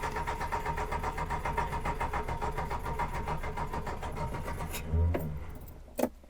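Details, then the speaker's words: Reliant Fox on a test drive just after an exhaust fix, driving uphill: steady running fades over a few seconds, then dies with a couple of clunks; owner suspects fuel starvation from low fuel, unconfirmed. "that feels like fuel starvation oh yeah giraffe we're going uphill we've lost fuel"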